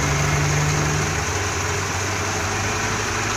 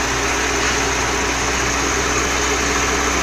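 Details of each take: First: Dodge Dakota 4-cylinder with a Holley carburetor and electric fuel pump, before rebuild: idle lopes and wavers unevenly from a low-speed circuit fault; covering the opening immediately smooths it and raises the idle. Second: 4-cylinder Dodge Dakota with Holley two-barrel carburetor, electric fuel pump, low-speed circuit fault, port covered: idle becomes even and faster, no misses; normal idle, fuel level very low.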